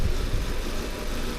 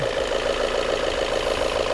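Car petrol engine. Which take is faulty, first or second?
first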